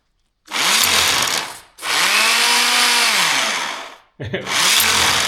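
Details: DeWalt D25003K type 2 corded hammer drill after new cord, hammer piston O-ring and spring clip: strong rattling hammer blows in short bursts, motor spinning up and down cleanly; hammer working on test.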